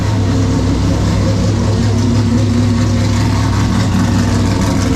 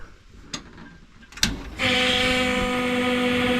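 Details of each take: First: LS2 V8 in a Corvette-type car, newly converted from Holley Sniper 2 to Haltech Rebel LS with LS intake, first start after fuel pressure check at about 5: deep, steady idle rumble, no stumbles; engine runs smoothly. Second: Holley Sniper 2 swapped for Haltech Rebel LS on LS2 Corvette engine, cold and unrun for days; clicks then steady loud fixed-pitch electric hum as fuel pump primes before cranking; loud fuel pump whine, pump to be replaced over fuel pressure issues.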